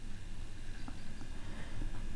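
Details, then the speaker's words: Graham Farish Class 57 N gauge locomotive on DC with a basic Hornby controller, first run at slow speed: low rough buzz with faint irregular clicks, running noisy; cause unconfirmed, possibly controller. "just take it slowly i don't know if you can hear it's quite noisy uh most locos tend to be quite noisy"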